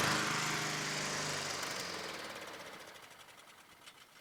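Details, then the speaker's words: Honda HRT216 push mower after carburetor cleaning, choke off: rapid popping about 200 a minute fading within seconds as it dies; owner suspects overly potent fuel treatment in gas, failure to start. "Choke off. It's very unusual for this not to work. Off choke."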